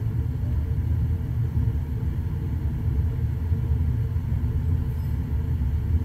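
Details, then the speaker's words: Trane XV80 furnace that fired but wouldn't blow, no error code, after soldering in a replacement for a blown thermistor: steady low rumbling whoosh of air with no squeal or rattle; the blower fan now runs normally. "she goes fan motor working"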